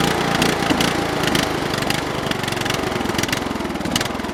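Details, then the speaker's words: Briggs & Stratton 13 hp OHV on a restored MTD/White LT300 tractor, started after reassembly with a used snowmobile fuel filter. Rough, galloping, uneven running; owner suspects water in the carburetor float bowl, surging. "yeah that thing's really not happy now uh I'm going to have to take we going have to drain the stupid float bowl out there must be some water in there"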